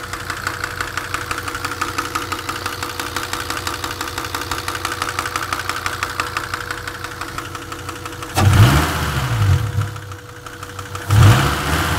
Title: непонятный стук в моторе...